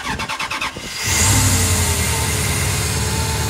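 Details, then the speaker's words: Dodge with turbo, started the day after it ran badly: brief cranking catches within a second, then settles into a steady, even run with no misses or knocks; turbo sounds back, owner suspects it had overheated the day before. "Oh, it sounds way better. The turbo's back! I think maybe it must have just got hot or something yesterday."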